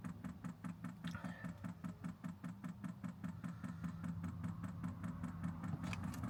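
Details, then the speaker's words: Newly installed 5 kW Chinese diesel heater switched on, pump priming with crisp even ticking over steady fan hum; normal startup, some air in the line. "Switch her on, shall we? Oh. That's it priming. You can hear the little ticking."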